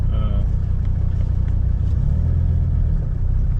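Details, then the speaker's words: 1985 Mercedes 300D diesel back on the road after four years parked, center muffler removed and glass pack fitted in place of the rear muffler: deep, even low rumble under way with a smooth exhaust pulse and no knocks or rattles; healthy. "I really like the exhaust on this thing. It's got um I took that center muffler out and then I put a glass pack on the"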